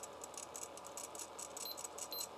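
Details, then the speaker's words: TRS-80 Color Computer 1 floppy drive reading an unformatted-for-PC disk during align-heads test, correct rpm per sticker: faint harsh rattling bursts about four a second; reads properly but sounds terrible, owner suspects top bearing. "but why is it sound so horrible you know what i think it's the bearing on the top"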